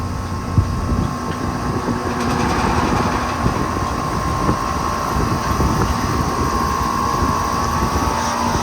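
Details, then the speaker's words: Carrier Performance air conditioner, Emerson Copeland scroll compressor with sound blanket and Broad Ocean fan motor, starting up: settles into a steady even hum with smooth fan tone, no rattles or knocks; healthy unit. "They have really nice scroll sounds, much better than East Aiken's over there."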